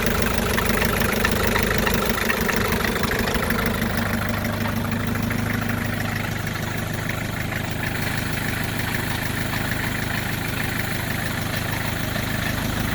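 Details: 1984 Isuzu P'up diesel idling with steady clatter and a faint regular knock about three per second; abnormal idle noise, source unclear.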